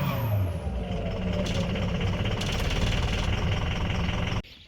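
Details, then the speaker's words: 2004 Ford F-350 6.0L Powerstroke diesel at full throttle; deep, uneven drone held flat and never climbing; low power, running on only four cylinders because of a failed FICM. "alright so I'm gonna put it to the floor this is to the floor [Music] still to the floor that's all it's got"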